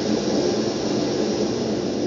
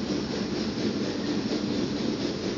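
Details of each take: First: Brunton Vesta backpacking stove, designed only for LP gas, running on its LPG canister for comparison after emergency liquid-fuel use: smooth, even roar with no sputtering or surging and no visible yellow flame; burning clean and healthy. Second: Brunton Vesta LPG-only stove run in an emergency on liquid fuel from a pumped, pressurized bottle, through its larger LP gas jet. A steady, even rushing roar with no sputter. The oversized orifice gives a very rich, yellow flame.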